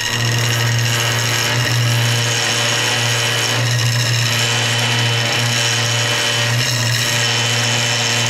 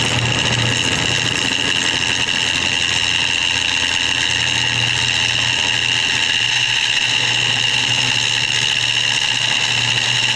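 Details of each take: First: Wood lathe turning hard banksia pods in epoxy: hum under harsh buzzing as the wood vibrates and skips on the cutter, tool chatter; hands on bowl didn't help, bevel rubbing reduces it. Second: Woodturning a bowl of banksia pods and epoxy on the lathe, gouge cutting with the bevel rubbing. A steady, even hiss with no rattling chatter, unlike the earlier chatter on this hard material.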